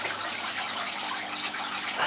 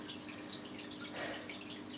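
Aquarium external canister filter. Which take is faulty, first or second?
first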